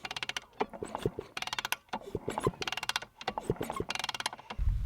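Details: Honda CR250 two-stroke after a new piston kit in the top-end refresh, cylinder fitted but not yet bolted down: a slow rhythmic swish and creak as the kickstart turns the piston over, with no scraping or catching. The new piston moves freely.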